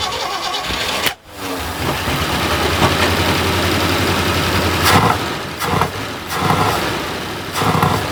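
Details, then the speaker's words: 1976 squarebody farm truck after about 20 years sitting, on temporary fuel hose and tank: cranks, dips, catches and settles into a steady low idle; a small fuel leak at the carburetor to tighten, not audible. "There we go, we got a little leak right there, but we can tighten that up."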